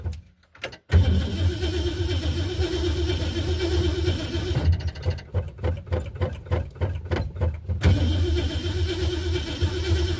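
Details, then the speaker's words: Ford Fairlane number 1, sat over a month in a snowbank with battery still charged: short crank, catches at once and settles to a deep, even idle with no knocks or misses, about 15 volts and 40–45 psi oil pressure. Healthy, normal start. "Fired right up. It's been sitting over a month in the snowbank, and it's just running as smooth as can be."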